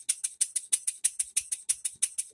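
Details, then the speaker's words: Rebuilt English bar-stock model engine on air after reassembly, with new crosshead and main bearings, reamed cylinder, new silicone-ringed piston, valve timing set; crisp even exhaust puffs about seven a second, steady beat, no knocking, running smoothly. "pinch back here to it a little bit really nice well guys she runs but she still needs a base"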